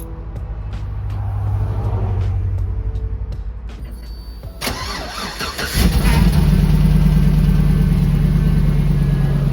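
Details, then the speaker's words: 2007 GMC Yukon XL after a hole in the side of the muffler was sealed with muffler weld: the starter cranks and the engine settles into a steady, even idle. Exhaust exits the tailpipe quietly with no puffing or rasp. "Actually, the quietest I think it's ever sounded. Coming right out the tailpipe like it should."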